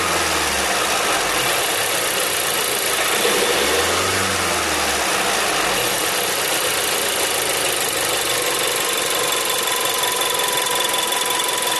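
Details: Seat Leon TSI 140, warm engine at idle: busy, hissy mechanical clatter with faint irregular tapping over a steady engine note; source not identified.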